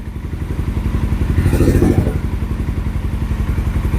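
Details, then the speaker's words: Carbureted 2007 Suzuki GS500F, long stored, just cold-started and warming up on choke, fuel tap on reserve because the tank is low: a low, even putter with a steady pulse and slightly lumpy cold idle, running cleanly. "When it warms up, the you know the the engine will rev up along with it, letting you know that it's ready to turn the choke off."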